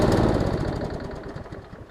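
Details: Used lawn mower small engine chugs unevenly and dies away over two seconds, running lean; owner suspects a swollen needle and seat starving the carburetor of fuel, or a restricted fuel line.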